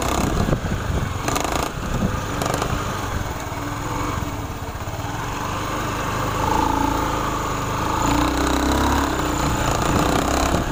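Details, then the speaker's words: Honda Beat FI injection scooter with knocking ("ngelotok") complaint from the CVT area when throttling; engine revving with uneven knocking from the belt-drive side under throttle, before opening the CVT case; cause suspected, possibly CVT case bearing, not confirmed. "Ini keluhannya bunyi di bagian CVT. Sekarang kita coba akan tes seperti apa bunyinya."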